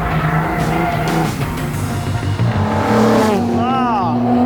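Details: Alfa Romeo GTV6 V6 on track after drivetrain repair using Sierra 4x4 Cosworth transmission parts: pulls strong and clean through the revs, tyres squealing near the end, no knocks or clunks; healthy.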